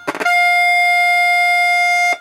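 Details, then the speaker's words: Heathkit T3 signal tracer being diagnosed: a few clicks, then loud clean steady tone about two seconds, probed at pin 3 plate output of the first tube; stage amplifying properly. "very much amplified very much so that's going to be our first tube and we've got it through that"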